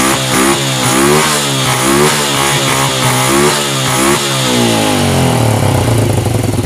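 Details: Honda Revo Absolute motorcycle engine after rebuild with new bearings (worn ones had made a sandy grinding sound), shaft and clutch shoes: blipped repeatedly to high rpm, it drops back cleanly to an even idle with no knocking or rattle; running normally.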